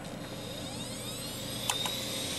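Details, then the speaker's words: Opened IDE hard drive spinning up on computer power: a faint whine climbs in pitch with a couple of light clicks; audible spin noise suggests the bearings are slowly dying, but this is suspected, not confirmed. "now if you can hear a um hard drive spin that's not really a good thing CU that means the bearings are slowly [Music] [Applause] dying"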